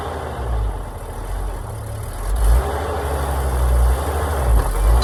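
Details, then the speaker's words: Old Oshkosh plow truck, owner thinks 1956, engine governed at 2800 rpm, long-sitting, started in winter with no coolant, full exhaust, hydraulic pump disengaged: deep, low idle swelling slightly about once a second but steady; runs acceptably. "seem to be running pretty good for sitting forever even has a full exhaust on the pump is currently disengaged"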